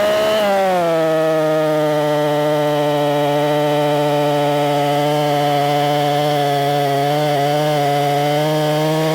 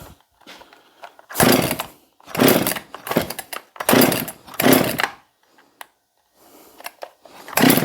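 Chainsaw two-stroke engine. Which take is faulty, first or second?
second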